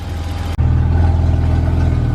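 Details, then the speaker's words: BMW E34 535i, M30 B35 inline-six, first start: a deep, steady, throaty idle with an even low beat and no stumble, hiss or tapping; runs smoothly with no vacuum leaks. "sounds so good nice and throaty like an m30 should so i'm like thrilled right now so i got this thing running right now it's just idling it runs amazing dude"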